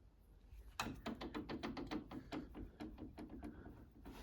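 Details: Hayabusa-engined mini race car rear suspension during race prep: irregular bursts of dull clunks as wheel is rocked by hand; play in bearing inside rose joints fitted new only two race meetings ago, needing replacement.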